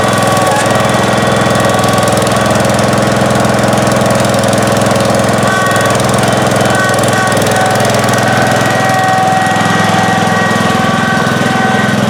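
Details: 1971 John Deere 140H3, Kohler K321 single-cylinder, after carburetor rebuild and new float fixed fuel pouring from carb: steady, even beat at constant speed, no misses, knocks or surging; normal running.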